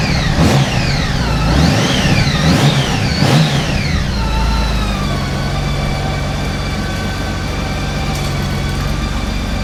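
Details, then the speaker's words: Honda Gold Wing 1800 just after an oil and filter change, started once the oil light went out: throttle blips rise and fall cleanly, then a smooth, even idle with no ticking. Sounds smoother than before; normal running. "There we go. I can hear the difference in that just with changing the oil. It sounds so much smoother."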